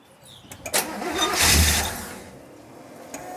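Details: 1966 Chevelle during rebuild, after repeated cranking to draw up fuel: the starter cranks with a few rough catches, then dies away without firing; crank no start, possibly out of gas.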